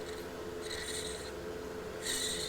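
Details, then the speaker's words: 1969 Lincoln Idealarc 250 welder fan motor removed and shaft spun by hand: two short, dry rasping bursts from a worn, dry bearing, to be cleaned and repacked. "I don't know how well that comes up on camera you can hear that bearing"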